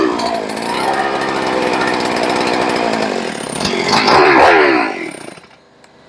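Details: Rebuilt ported, decked Husqvarna 394XP chainsaw, first fire: rough low buzz, brief rev, then dies; idle needs turning up, throttle response good, decompression button possibly sticking.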